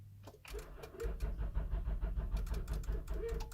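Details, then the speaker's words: Honda Pilot SUV cranked on homemade 12V battery of 12 dead A123 LiFePO4 26650 cells: slow, uneven cranking about three beats a second that never catches; weak crank, poor smoking connection suspected. "It will start. I see smoke. I see smoke, guys. The connection's not good."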